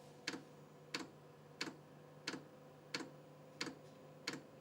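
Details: LDHTHOPI diesel heater on a 12 V socket, drawing about 100 W as the glow plug heats: crisp, evenly spaced ticks about one and a half per second over a low steady hum, the fuel pump pulsing normally at startup.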